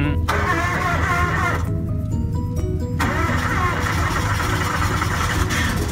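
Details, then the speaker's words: Fuel-injected lawn mower with no choke, cold start, key turned and left to prime: engine cranks briefly, catches cleanly and settles into a steady even run with no stumbling; normal cold start. "on these fuel injected there is no choke so when you turn the key you just turn it to Aspen and let let it come on and you actually hear it a little"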